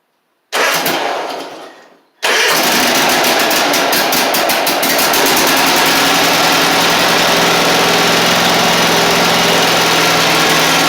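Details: Husqvarna Z254 zero-turn mower that ran a few minutes then quit, after fixing a fuel blockage and reassembling: one brief crank, then it catches and settles into a steady, even idle with no misses; it starts and runs normally.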